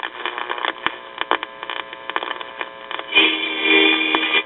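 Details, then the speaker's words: 1965 GE AM tube AA5 clock radio plays thin, crackly audio in scratchy bursts, cutting in and out, then swells louder with hum; tapping its side revived it; owner suspects an intermittent tube, bad solder joint or dirty tube socket. "here's the AM radio and as you can hear it plays but it performance is not that great and it's sort of intermittent"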